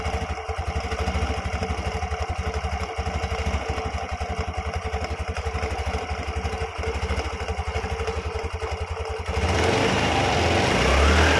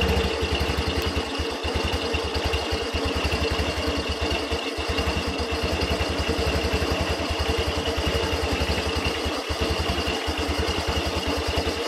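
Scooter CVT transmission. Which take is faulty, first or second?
second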